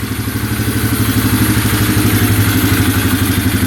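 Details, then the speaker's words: 2011 Polaris Phoenix 200cc ATV after reconnecting a missing ignition ground wire, which the owner thinks caused no spark: single cylinder idles evenly at about four beats a second, no misses; fired up instantly, running great. "so yeah now it's running great that fired right up like instantly"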